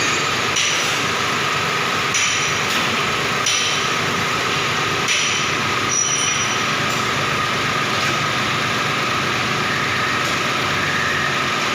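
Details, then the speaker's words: Hyundai Xcent petrol engine after the repair: steady, even idle with no misfire stumble, knock or vibration, and the check engine light now off. "तो ये प्रॉब्लम देखिए अभी पूरा सॉल्व हो गया।"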